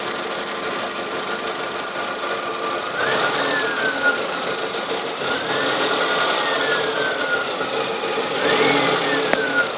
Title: strange engine noise